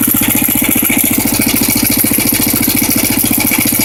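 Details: Honda NX 250 single-cylinder at idle: loose metallic rattle on every beat, steady rhythm; engine rattle, source unclear.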